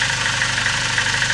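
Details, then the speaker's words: VAZ 2109 at about 192 thousand mileage, cold idle on 5W30 or 5W40 oil: a fast, even light clatter tied to engine speed from lifters rattling in worn lifter bores in the cylinder head; the owner says it fades once warm. "Стаканчики брякали сильнее. Ну и завязкости тоже много зависит. Они брякают, потому что ещё не вошли, ну, тепловой зазор ещё. Когда будет машина прогреется, тогда этот звук иснет."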